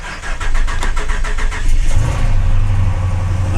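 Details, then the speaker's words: Ram truck with almost 200,000 miles on a repo auction lot; it cranks with rapid pulsing for nearly two seconds before catching, then holds a steady low idle; a reluctant start that then runs well, cause unconfirmed. "she didn't want to start but she did it runs well it sounds good that's a ram for you"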